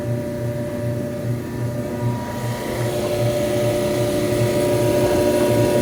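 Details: Electrolux front-load dryer EIMED60LT3 after repair (rollers, tensioner pulley, blower wheel serviced): steady motor hum with soft even tumbling thumps, no scraping, heating, running normally.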